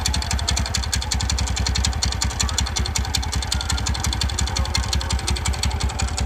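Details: TVS Ntorq scooter (BS6) idling with a quick, steady tick of about two or three per second riding over the low putter; an engine ticking noise, cause unconfirmed.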